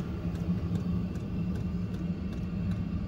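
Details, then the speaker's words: Chinese 12V 8kW diesel heater turned up to maximum setting: quick regular fuel pump ticks about two and a half per second over a rising fan roar; pump feeding more fuel to the burner, normal full-power operation. "now the fuel pump has increased. The clicking you can hear has gone faster, so it's now pumping more fuel to the burner. The fan's increasing."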